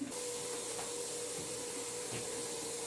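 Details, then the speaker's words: Pressure canner processing potatoes, lid on, weight and gauge off, venting for 10 minutes before adding weight: steady airy hiss with faint constant tone; normal steam venting. "it's when your venting starts when you can feel a lot of the steel pushing through so you can actually feel it push against your hand and you can hear that hissing"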